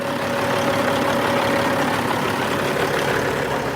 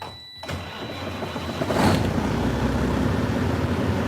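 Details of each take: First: Ex-FedEx fleet diesel truck with dual exhaust, idling after the fan hub disengaged once air pressure built up. Smooth, even hum with no knocks or surges. Normal idle. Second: Old ex-FedEx truck started on a cold night: catches after cranking, then runs rough with an uneven surge and stumbles; cause unclear.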